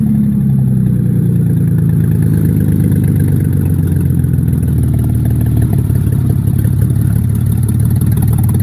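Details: Mercedes E-Class W210 E240 V6 petrol, 116k miles, running with no exhaust: loud open-pipe rumble with uneven, stumbling beat as revs drop and settle, missing on a cylinder; misfire.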